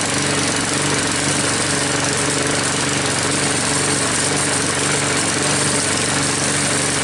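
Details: Troy-Bilt mower with a "Frankenstein" engine built from another engine's parts, just started after a head gasket replacement and still hard starting: a steady, fast, rough-edged single-cylinder chatter, no knocking or missing; running normally, no leaks seen after about five minutes.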